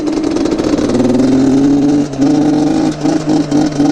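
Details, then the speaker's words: Neglected Yamaha Banshee two-stroke quad with a very dirty air filter, carbs suspected dirty, needing a tune: held at full throttle it stumbles and keeps dropping out in uneven dips instead of climbing, bogging and lacking power. "oh dude you wouldn't be winning any races with this thing that's for sure bro oh man this is horrible"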